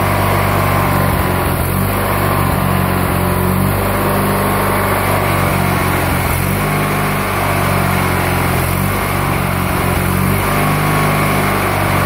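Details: Murray GT lawn tractor, opposed-twin engine, after stale gas was cleared, plugs cleaned and the carburetor pulled and cleaned or swapped: steady, even drone with constant low pitch and no surging or stumbling. Normal running.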